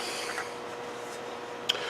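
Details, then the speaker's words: 2012 Hyundai Sonata front hub, freed after heavy corrosion, turned by hand before bench removal gives a dry, gritty, uneven rasp instead of a smooth spin: a worn front wheel bearing. "pure and simple corrosion made this thing just fight the whole way out so now that we've got our hub free here here how ugly that sounds"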